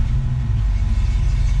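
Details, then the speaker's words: 1966 Ford Mustang just after fitting a Holley Red electric fuel pump to replace a failed mechanical pump; fires right up to a deep, even, low rumble with a slow steady lope, no knocks or misses. Normal idle near 650 RPM, slightly below the usual 800–900. "oh yeah wow that fired right up oh man that sounds great can't wait to drive this thing I'm idling right around 650 RPM feels pretty good"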